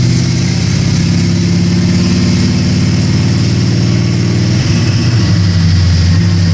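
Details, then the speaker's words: 1979 AMC Spirit AMX, factory 304 V8, budget rebuild, Brawler carb, T5 5-speed, first DynoJet pull with air cleaner on: deep loud bellow pulling hard, pitch climbing cleanly, no miss or rattle; 195 hp at 5,000 rpm, healthy. "what she might not be fast but she sounds good it may not be fast but it's loud sounds fantastic 195 at 5,000 RPM"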